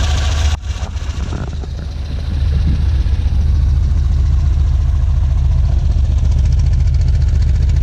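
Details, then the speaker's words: 1967 Volvo 1800S start-up: brief crank, then catches and settles into an even, deep, steady idle with no knocks or misses; healthy idle. "okay I'm gonna fire it up as well so you guys can hear it should idle ride around 1,100 rpms"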